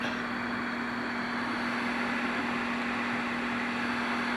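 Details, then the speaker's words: General Stonewall Jackson CB radio on the bench, receiving with no microphone, after replacing a faulty power-supply capacitor on the amp board that caused audio pumping; steady low hum and even hiss with no rising and falling surge; pumping fixed. "some things to do to it but you can clearly hear there's no pumping"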